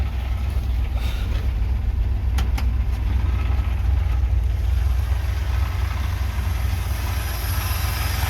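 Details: 1978 Chevy C10 warming up at idle: a deep, even throb at about four beats a second with no knock or miss, while smoke increases with temperature; blue oil smoke suggests bigger engine issues.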